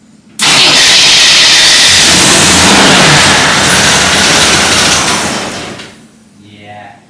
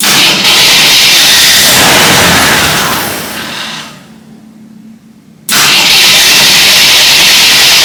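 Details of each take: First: Full-size Jeep carbureted engine, first start attempt with choke and fuel poured in, after flywheel replacement: harsh steady cranking about five seconds that never catches; fuel starvation from stuck carburetor needle and seat, starter solenoid also failed. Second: Full-size Jeep first start attempt after replacing the flywheel, electric choke apparently not working; steady fast cranking whir with no grinding, but it doesn't fire; later traced to stuck needle and seat and failed starter solenoid; normal starter cranking.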